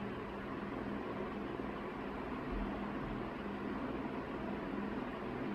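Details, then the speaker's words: 1981 Evergo 36" industrial ceiling fan, model 3E-6, cast-iron motor, at about half speed: steady airy rush, faint low hum and helicopter-like chopping from blades. Normal healthy running. "starting to sound more like a helicopter now with that chopping sound yeah already this thing is really just whipping the air around the room it's got so much power"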